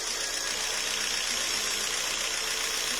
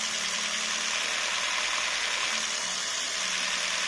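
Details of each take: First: Jeep Renegade 1.4 L MultiAir2 turbo I4 with misfire codes P0300, P0303 and P0304, before repair: an uneven, hissy idle stumbling irregularly about every half second; cylinder 3 misfiring from a fouled, wet spark plug. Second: Jeep Renegade 1.4 L MultiAir2 turbo I4, after fixing misfire codes P0300, P0303, P0304 and P0353 and checking the spark plugs: engine light off, even and steady hum with no stumbles; normal smooth idle.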